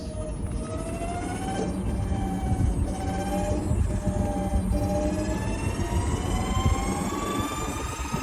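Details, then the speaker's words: Golf cart with EVO motor, plastic cover on controller: clear whine oscillating and sweeping in pitch as it slows, also noisy on acceleration; abnormal motor noise, cause not yet found. "but it's the same issue, noise on deceleration, but this one also makes noise on acceleration too. Not a normal whine, you'll actually hear it oscillate on and off."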